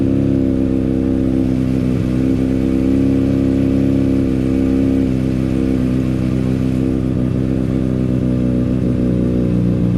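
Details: Honda CBR600RR revving high after a decat mid-pipe was fitted and sealed with silicone. A smooth, steady drone with no puffing or ticking at the joints. Normal running, no exhaust leak, ready for the dyno.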